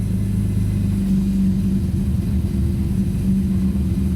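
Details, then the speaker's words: 1998 BMW M3 E36 3.2 straight-six with an aftermarket supercharger, codes P0170/P0173, stalling: low petrol idle that wavers, dips and recovers without missing; idle hunting from a vacuum leak at the broken idle air hose. "I don't went down a little bit came back up it is so it is hunting a little bit give a little juice"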